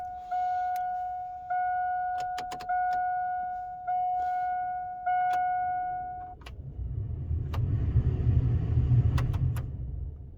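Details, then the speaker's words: Jeep heater blower motor after lubricating dried-out bearing/bushing with silicone, key on: a few warning chimes, then fan spins up to a smooth, even rush with no earlier screech; normal blower operation. "I don't hear any screeches like earlier."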